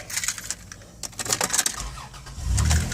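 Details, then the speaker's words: 1999 Dodge Caravan LE mobility van, 80,000 miles: keys jingle, engine catches on the first crank and settles into a steady idle, clean start with no check engine or airbag lights. "First time, every time. No check engine lights, no airbag lights."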